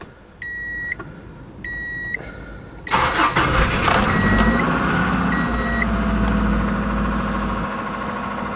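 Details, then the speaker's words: 1990 Subaru Legacy wagon parts car, low-mileage for its age and ragged, started in neutral from inside the car: door chimes, quick crank and clean catch, then a smooth steady idle with no misses; normal idle. "so bottles nice perfect idly"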